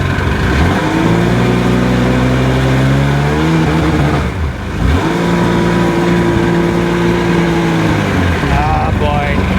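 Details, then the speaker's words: 2002 Sea-Doo GTX DI two-stroke with a maintenance light above about 3,000 rpm, after new stator, crank sensor and plugs: steady revs then a brief stumble and sag, an intermittent skip; failed bottom-end bearings suspected, unconfirmed. "Here we go again. And again, don't even need to go out. I hear it skipping."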